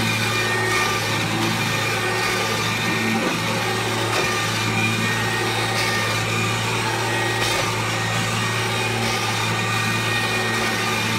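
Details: 1997 Kirby G5 upright vacuum with a metal fan sent by a Kirby collector, run with no dirt: a steady even motor hum with smooth airy fan rush and no scraping; owner says it sounds like a vintage 500-series Kirby; normal running.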